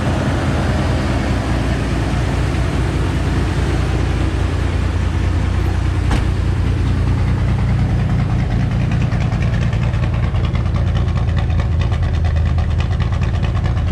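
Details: S10 after PCM swap, untuned, warming up with fans on: deep, steady idle rumble holding even speed, no misses, knocks or hunting; healthy warm-up idle.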